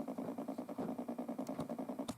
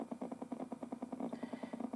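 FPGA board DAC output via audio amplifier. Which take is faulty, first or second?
second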